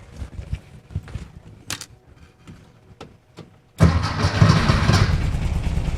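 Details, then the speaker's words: VW Beetle with newly installed dual EMPI carbs, after priming and raising the idle screw a full turn: fires at once and settles into a quiet, steady, even low idle; starts cleanly, before syncing and timing. "There it is. Right off the bat, sounds good. That engine's quiet too."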